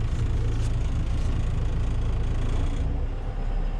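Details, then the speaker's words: John Deere 6310 tractor driving a New Holland 96 slasher after the owner re-timed the slasher: deep even drone, no sharp blade strikes or knocking, nothing hitting the blade; timing appears right, normal slasher operation. "that sounds all right i think nothing sounds like it's hitting on the blade so i think i've got a time pretty right"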